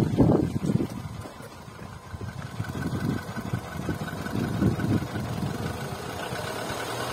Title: VW Polo 9N3 1,6 BTS 77kw engine noise